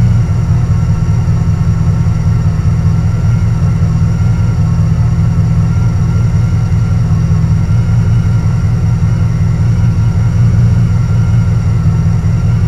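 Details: Carbureted Camaro Z28 V8 with a stalling history, after a distributor swap and radiator repair, timing set to about 6.5: a deep, steady idle with an even low burble and no misses or ticks. It idles normally.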